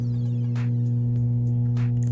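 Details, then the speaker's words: NKS PK1000 active powered speaker, mains-powered through a 40 W series lamp: loud, steady low hum (roncado) at the audio output, likely from a faulty amplifier output stage. "Então pessoal isso daí provavelmente sintoma de saída de som com problema vamos abrir essa caixa então para ver o que que tá acontecendo aí com ela"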